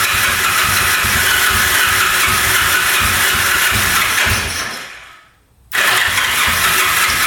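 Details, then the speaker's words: 1974 Yamaha TX500, sat 27 years in a barn, choked and with oil poured down both cylinders, cranks steadily at about two turns a second with no catch, then again. It only puffs over and stalls: no start from low compression. "Well, I have attempted starting this thing probably 50 times now. Putting oil down there, trying to start it. you know, it puffs over a couple times and stalls out."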